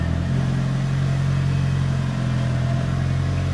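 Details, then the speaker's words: Mitsubishi Evo with newly installed ACT Mod Twin Disc 225 clutch, pulling away: steady even engine drone, no chatter, squeal or rattle as the clutch takes up; normal clutch engagement. "Oh, the engagement is really nice. Yeah, no odd, funky noises."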